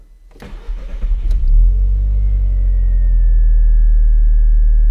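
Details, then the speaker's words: Audi TT Mk1 with the air flow meter unplugged: short crank, catches within a second and settles to a steady idle, running much longer; warning light on because the meter is disconnected. "en fait j'ai débranché le débitmètre alors que ce soit débitmètre ou une autre partie de ce qu'ils calculent un petit peu le la richesse et l'allumage de du véhicule on va essayer tout de suite juste avant ça démarre et déjà beaucoup plus longtemps"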